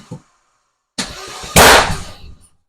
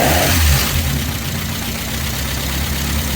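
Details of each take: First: Vauxhall Nova with a C20XE redtop engine on ITBs, cranking with the fuel pump bridged because the ECU gave the pump relay no trigger: sharp pops and coughing bursts spitting back through the inlet manifold. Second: First start of a newly installed C20XE redtop engine in a Vauxhall Nova, with the fuel pump relay bridged because it is faulty: the engine catches quickly, takes a couple of throttle blips, then settles into a steady, even, healthy idle.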